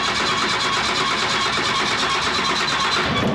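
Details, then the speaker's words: 5.9 Cummins 12v diesel swapped into Studebaker Transtar, first start after sitting: hard-running diesel with fast even ticking chatter over a loud hiss; noisy vacuum pump needing attention. "oh that's a vacuum pump like what is that noise"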